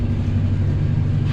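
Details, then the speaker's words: Homebuilt compressor with an aftercooler and water trap on a 40-gallon tank (fills in about 2 minutes 35 seconds), just switched on at about 130: steady low hum with no knocks or rattles. Head outlet at 57 degrees. Normal, fairly quiet running. "130th turned on as you can see not terribly noisy I"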